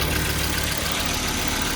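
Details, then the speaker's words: 2002 Volvo XC70 2.4 turbo after replacing the cam sensor aperture ring and cam sensor housing and clearing codes: starts quickly and settles into a smooth, even idle with a steady low hum, no misses, knocks or hunting; normal idle. "Wow, that's so much easier. Wow, that was quick. Now it sounds good. Nothing weird from the sensor end."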